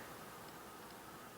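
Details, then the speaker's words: Laptop on for about an hour installing drivers, mic close to the vent: soft, steady airy whoosh with faint even tone, not high-pitched, no whine or rattle, not struggling; normal laptop fan running. "you should be able to hear it doing its thing now that's about normal not only in terms of the volume but the quality of the noise it's not high pitched it doesn't sound like it's struggling"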